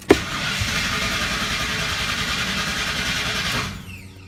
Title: 93 Lightning No Start